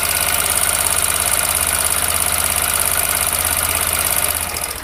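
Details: TVS Apache RTR 160 4V BS6 motorcycle at 6,898 km, idling; quick light metallic ticking about three to four per second from the top end; tappet/rocker arm noise, valve clearance suspected.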